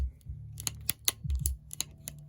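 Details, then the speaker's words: Shimano 7-speed bicycle shifter after freeing up a stuck mechanism with lubricant: crisp, definite clicks as each detent indexes cleanly when the lever is worked. "see, I can hear a much more definitive click."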